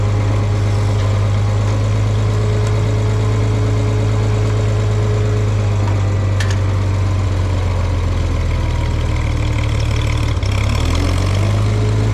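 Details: Farmall 460 tractor, rebuilt engine, just fitted with electronic ignition, driving under light load: deep, steady exhaust drone with an even firing beat and no stumble; runnable, owner suspects advance slightly off.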